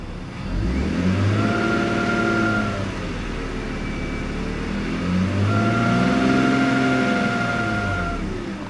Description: This is in neutral